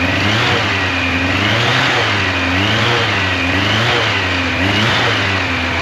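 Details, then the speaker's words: 1986 Yamaha FJ1200, first start in years after restoration prep, warmed up: smooth, strong exhaust note swelling cleanly with throttle blips and settling back, no ticks, knocks or scary noises, holds idle fine; normal running. "Uh, the engine sounds good. I don't hear any scary noises from the motor. It did hold an idle fine once it was up to temperature and fully warmed up."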